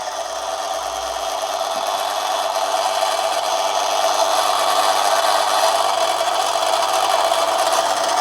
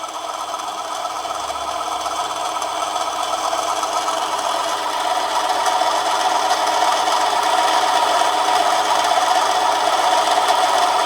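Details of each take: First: Manson lathe turning a 1/2-inch brass bar at about one-fifth normal brass speed, very fine light cut: steady even whir with soft hiss, no chatter, knock or squeal; lathe cuts smoothly under light load. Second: Manson lathe turning a 1/2-inch brass bar, heavier cut: motor pitch changes, steady hum with fast chatter about four per second growing louder as the cut deepens; motor struggling but still cutting.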